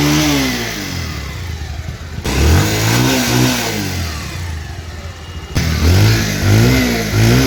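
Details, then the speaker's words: 2019 Bajaj Pulsar 150cc used motorcycle: the single cylinder catches and idles, then takes quick throttle blips that climb and fall cleanly with no knocks or rattles. The engine sounds smooth, like new. Normal start and rev. "গাড়িটির engine sound শুনলেন আপনারা। গাড়ির engine sound এখনও smooth, নতুনের মতোই।"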